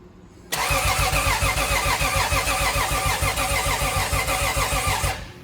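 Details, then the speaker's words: Lexus IS300 turbo 2JZ engine, after being blown, first start attempt after finishing wiring: steady cranking about three and a half turns per second, never fires; crank no start, spark still to be checked. "i was really hoping to hear it start tonight but we still have to check for spark"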